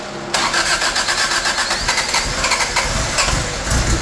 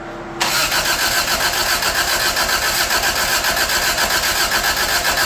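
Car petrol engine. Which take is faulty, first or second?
second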